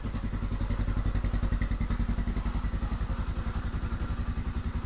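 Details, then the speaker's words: Yamaha Scorpio motorcycle engine running with heavy, low thumping at about 3.5 beats per second and coarse clatter; sounds rough, suspected from the clutch area, possibly loose valve clearance needing adjustment; rpm not normal; cause not confirmed. "Scorpio emang suaranya kasar ya itu terdapat di bagian kopling"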